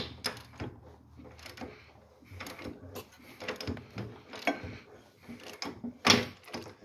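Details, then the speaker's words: 1966 Volkswagen Beetle engine, unrun since 1988, failed after brief running: irregular sharp clacks, one or two a second, when turned forward by hand, stops turning backward; seems from one side, valves looked fine; internal cause unknown. "you can hear the clacking that's what we're dealing with so that's either see it makes it stop when you turn the other way right there but when you go forward keeps on going you can hear it clack like that"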